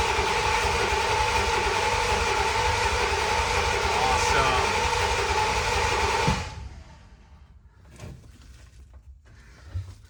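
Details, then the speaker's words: Ford F-100 V8 truck with a newly fitted fuel and serpentine system, cranking to check fuel pressure on the gauge: the starter turns over evenly at about four beats a second for six seconds without firing. This is normal cranking; 50 psi oil pressure follows. "All right, so again, just gonna crank it over and hopefully see some pressure on the fuel gauge."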